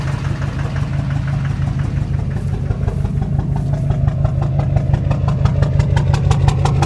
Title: 2006 Duramax LBZ Knock, Rough Idle